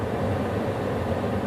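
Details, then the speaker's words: 2017 Hyundai Sonata cabin blower works only on speed 4, nothing on 1–3 though AC engages; fuses checked: steady even fan rush with no rise or fall; blower resistor has failed. "We have an issue here where the blower for the AC unit does not come on 1, 2, and 3. But if we switch to 4,"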